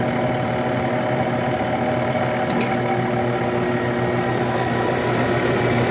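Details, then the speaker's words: Window air conditioner with a Samsung fan motor, first startup of the season after winter storage in the attic, fan medium-low, temperature turned down: the compressor gives a steady loud hum and buzz at start and then quiets down. It soon cools, with the usual slight evaporator icing. "Oh is a little bit loud when it first starts for the year without quiet down a very good"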